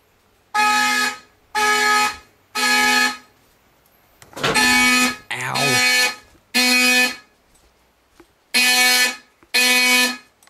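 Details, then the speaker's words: Fire alarm system test, code three triggered by drill button wired to skip verification and two-stage: horns blare in groups of three one-second blasts with pauses between; normal code-three evacuation pattern. "turn off walk test and we'll do code three by the drill button which I have specially wired to skip over verification and two-stage"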